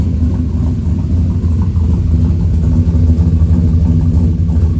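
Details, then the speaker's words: Freshly rebuilt V8 after suspected rod knock, with a stage 3 cam; possible small exhaust leak or lifter noise: deep uneven choppy idle, about three lopes a second; healthy big-cam idle. "Man, listen to that sloppy stage 3 chop."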